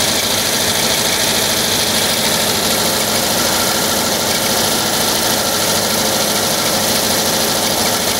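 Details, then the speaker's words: 1979 VW Type 2, 2.0 L fuel-injected air-cooled flat-four at idle: fast irregular glassy clinking, about three per second, like bottles banging; cause unconfirmed, owner suspects cooling fan refitted unmarked after cleaning and painting. "So I'm wondering if you can hear and tell me what that clanking noise is. It sounds like you're banging two glass bottles together."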